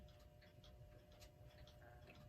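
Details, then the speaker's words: Hammond Gloria electric alarm clock, c. 1933, not self-starting and hand-spun to start: quiet, fast ticking chatter over a faint hum as the motor runs but sounds noisy, before it is opened. "however it's quite noisy so I'm going to look to open it up probably give it a good cleaning and I we'll take it from there"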